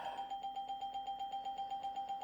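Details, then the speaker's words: Windows 98 startup chime on a 1998 Gateway G6-400XL (400 MHz Pentium II) with a swapped-in sound card stutters about seven times a second in a stuck loop; same fault as before, sound card suspected, later replaced. "okay it's same problem that's distressing now let's see if the the windows ding will get stuck"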